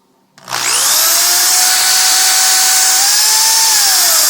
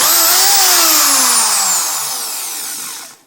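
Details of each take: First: Power drill squealing shrilly with a high-pitched whine at the end of each run, from dirty carbon brushes; cleaned by sanding the brushes and reinstalling them, after which it worked like new. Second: Power drill after squealing fix (brushes removed, sanded, refitted, gears relubed): high clean motor whine falls away smoothly on trigger release, no squeal or scraping; runs like new.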